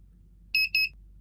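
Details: Daikin air conditioner that is not cooling with a blinking power light, Cancel button on the remote pressed while pointed at the unit: two short high beeps over a quiet room; the unit entering error-code check mode.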